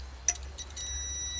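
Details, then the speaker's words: Metabo E150 welding inverter tested with a multimeter: probe click then steady continuity beep across the power transistor, including to the base; all four transistors need replacement, and the demagnetizing diodes most likely too: shorted power transistor. "пищить і видно на базу тоже ну цей далі нема смисла дивиться так що транзистори вибиті"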